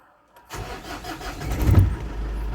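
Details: 2007 Ford Everest Gen2 common-rail diesel after the crank-but-won't-start fault was fixed: catches quickly, revs briefly, then settles into a steady even idle with normal clatter.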